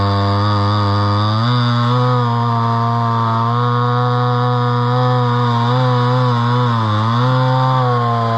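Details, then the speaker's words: Homelite Super XL chainsaw from an auction, at least about 50 years old, 20in bar, slightly dull chain, cutting wood: a strong steady two-stroke howl dips as the chain bites and recovers cleanly. Runs well with good power. "but that runs pretty good and it's got pretty good power that's a 20in bar so you know"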